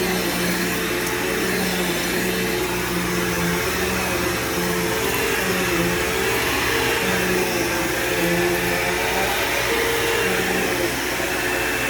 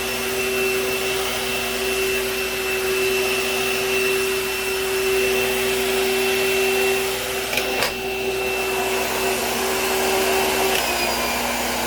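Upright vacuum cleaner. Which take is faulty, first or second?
second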